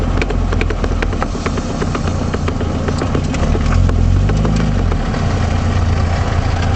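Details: 1978 Triumph Spitfire rear knocking while driving: sharp, uneven knocks from the rear over road and engine noise, caused by failure of the passenger-side axle universal joint.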